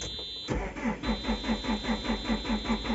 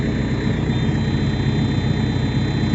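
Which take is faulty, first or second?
first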